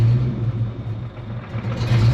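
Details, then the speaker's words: Project Frostbite, just after O2 sensors were fitted and H-pipe changed, with a known exhaust leak: low idle rumble swells, dips and rises again, settling then hunting again; idle hunting, cause unknown. "Yeah, still doing it. It'll settle down, and then it'll go back to hunting."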